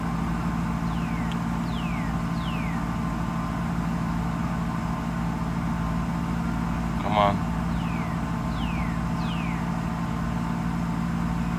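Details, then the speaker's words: Mercedes SL600 after mass air flow sensor wiring repair: smooth, even low rumble at idle with no surging; rpm steady instead of jumping wildly as before, MAF readings restored. "runs pretty nice I don't know if you can hear it steady the RPMs are not jumping up and down like insane"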